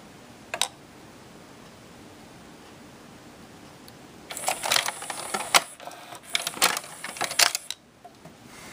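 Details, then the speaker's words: Pioneer six-disc CD changer, mic close to the mechanism, play pressed: faint clicks then a short burst of rattly chatter, disc not spinning; unsure whether it is not spinning or not achieving focus lock; laser focusing lens found missing. "I don't know if it's just not spinning or what"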